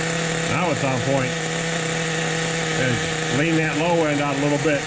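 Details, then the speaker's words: 2002 Team Associated NTC3 nitro RC car after rebuild: steady high buzzing idle holding constant while settling, low-end needle being leaned from rich; runs fine. "let that idle settle in a little bit fellas there we go"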